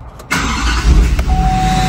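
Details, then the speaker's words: Wrecked GMC Sierra K3500 Denali after batteries were fitted: the starter catches within a moment and the diesel settles into a steady, even idle, with no check engine or airbag light; a clean, healthy start. "starts right up and all right guys there we go no more lights in the dash no airbag light no check engine light"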